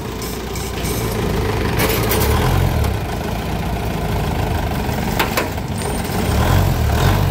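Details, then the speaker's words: Isuzu 4BC2 diesel idling evenly with a low rumble after alternator repair (damaged stator and worn bearing found); the earlier alternator noise is gone, no rattle or whine, charging unit sounds healthy. "guys sarap ng guys Oh wala ng ingay Ayan guys wala n ingay kanina maingay yun guys h lang natin narinig kanina pero ngayan na maingay yon"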